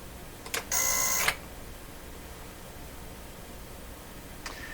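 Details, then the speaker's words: Bang & Olufsen Beocord 2000 De Luxe tape recorder under repair: a click, then a harsh half-second buzz cut off by another click and a faint tick; sounds like a relay chattering, possibly from unexpected 60-cycle AC voltage, not confirmed. "okay so now that did sound like like a relay chattering didn't it did it sound like a chattering"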